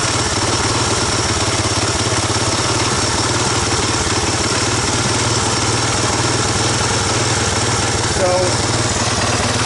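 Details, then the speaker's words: 1985 Honda ATC250ES Big Red single-cylinder after carburetor swap and adjustments, air box on: fast, loud, slightly uneven burbly idle; owner suspects it needs break-in and more fuel through the carb; rough running. "got a little west of that boopy to it I the engine probably what it hurt is to break in a little bit run some more fuel through the car seem a little better"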